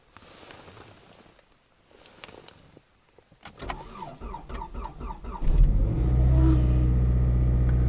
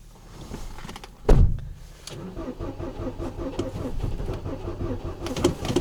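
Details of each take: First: Toyota RAV4 cold start at about −24 to −29 °C on Sintec Premium 0W-30 oil, brake pressed: brief cranking, catches within about two seconds on first try and settles to steady even idle; healthy cold start. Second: Ford Focus, 5W-30 Ford Formula oil, about −24 to −29 °C, clutch held: clunk then steady rhythmic starter churning a stiff cold engine without clear catch; owner blames oil not being 0W; hard cranking in extreme cold, not confirmed.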